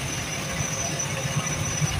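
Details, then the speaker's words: Package AC blower after bearing service for noise: a steady airy rush with a faint high whistle and no grinding or rumble, noise about 90% gone. Normal blower operation. "अभी तो बहुत कम हो गया। मतलब 90% आवाज समझिए खत्म हो गया।"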